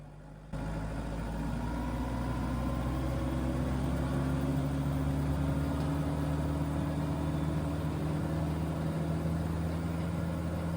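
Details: Tractor diesel at 2,500 rpm rated speed with PTO running and Rhinohide canopy installed: steady, even high-rev drone, no knocks or surges; healthy, canopy changed noise maybe 1–2 dB, within margin of error.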